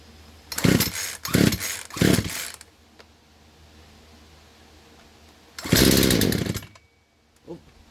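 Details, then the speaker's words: Poulan Pro chainsaw that refuses to stay running: three quick bursts, then a longer run that fades and dies; it starts but bogs and won't hold idle. Owner suspects idle screw and carburetor adjusters need adjusting. "Sounds like she started right up pretty good. But so far I can hear that it was bogging a little bit, so it was probably the idle screw that needs to get adjusted, and maybe the adjusters as well."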